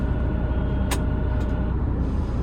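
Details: MAN HGV truck with a gearbox fault, at diesel idle with a gear selected: a single sharp burst of air hiss from the clutch actuator, which diagnostics show only partially opening instead of fully. Mechanic suspects an actuator fault inside the gearbox; not confirmed.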